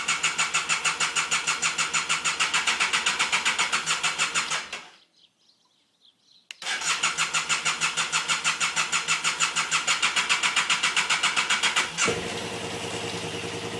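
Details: BMW F800GS motorcycle with starting problem: fast even starter cranking about three turns a second, a pause, more cranking, engine never catches; crank no start.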